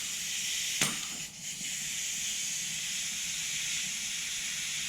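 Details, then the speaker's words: Twin-turbo C6 Corvette Z06, new motor at 500-mile checkup, leak-down test on cylinder two at top dead center with shop air: steady hiss with faint whistle from the tester fitting only; very low leakage, cylinder good. "very good so as you can see a very low leakage cylinder leakage that whistling you're hearing is just from my crappy harbor freight fitting here"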